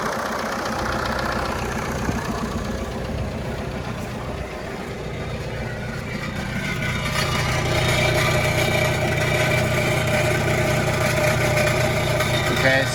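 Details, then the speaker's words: 1996 VW Passat TDI diesel, first start after sitting, on jumper and spare battery: loud, raw, open rumble and clatter at idle, rising a bit with revs; it needs a muffler. "so apparently we need a muffler it's not a big deal that was pretty easy guys said it ran and it sure does"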